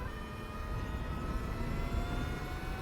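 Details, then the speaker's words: Energica Eva Ribelle RS electric motorcycle in sport mode with medium regen, accelerating: a thin, high whine climbs gently with speed over a deep drone; normal straight-cut gearbox (motor to sprocket and chain) noise, no fault. "It's got a gearbox in it, straight cut gears, as I say, that connect from the motor to the sprocket and the chain. And straight cut gears have a whine to them."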